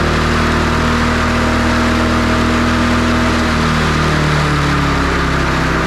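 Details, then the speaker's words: MTD Lawn Chief push mower with a Briggs & Stratton engine, loosely reassembled after a no-spark repair. It runs well but holds one high steady speed and never returns to idle; throttle stuck by gummy carburetor linkage. "Well, it runs good, but the throttle is stuck. I managed to move it down, but it's really gummy on the carburetor here."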